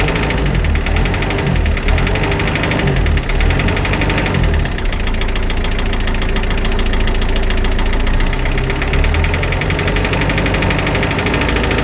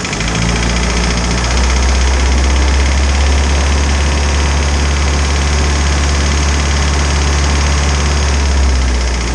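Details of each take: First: Isuzu 4BD2T diesel in a Spryte snowcat, fresh after a new cylinder head for an exhaust-to-coolant leak repair; idling with busy even ticking clatter, one valve sounds loose, no coolant bubbles yet; owner suspects valve lash needs adjusting. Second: Isuzu 4BD2T diesel in a snowcat after new head for exhaust-to-coolant leak, warmed up with thermostat open around 170: steady, even diesel clatter at idle with no misses or knocks; idle sounds normal, higher rpm noisy.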